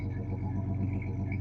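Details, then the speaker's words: 1986 Chevy S-10 2.8-litre engine at idle with a loud muffler: a deep exhaust rumble with an uneven, stumbling misfire pulse. There is an oddly in-sync noise the owner suspects is a rocker that fell off, and oil pressure is over 70 psi. "what a smooth misfiring 2.8 liter sounds like"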